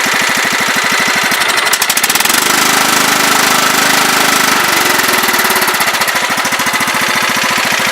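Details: Long-sitting riding mower single-cylinder engine after carb cleaning and fixing no-start from rusty key switch terminals (no power to carb solenoid), sanded and dielectric-greased: quick, steady firing without misses or stumbles; runs normally.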